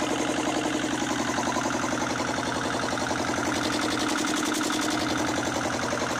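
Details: 1979 Lister ST2 diesel from a light tower, after fuel bleeding, a new filter, a throttle adjustment and refitting the rocker covers. A slow, regular thumping beat with no misses; it runs like a watch. Normal idle.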